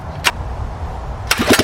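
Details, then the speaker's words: A Schwinn OCC mini chopper with a 79cc Predator engine, after a throttle cable and return-spring rework, dies at idle. A short cough, a pause, then uneven revving bursts; it runs only on throttle and dies instantly when the throttle is released. "it only wants to run when you have some throttle so when you're given a throttle it'll run fine i mean it'll run yeah but when i let go of the throttle it just instantly dies no matter how fast you're revving it"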